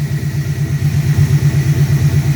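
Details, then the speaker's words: 1997 Mustang GT V8 after installing a Quantum 340lph fuel pump replacing a dying stock pump; even steady idle about seven beats a second, smoother than before, pump no longer audible over exhaust; running smoothly. "our idols much smoother and you don't even hear the pump my other pump you can hear over the exhaust"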